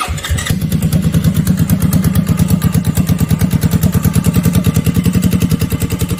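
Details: CFMoto CForce ATV after throttle set screw readjusted and locked with hot glue so it won't back out; steady thumping idle about eight beats a second, settling right after start and holding evenly; normal idle.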